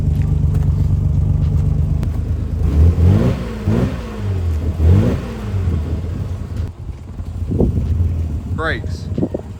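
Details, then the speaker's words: Nissan 300ZX started for the first time after 9 years sitting untouched: catches and holds a steady idle, quick blips rise and fall cleanly with no stumble and no smoke; sounds healthy. "listen it doesn't sound bad either sounds well nice and there's no smoke is there no"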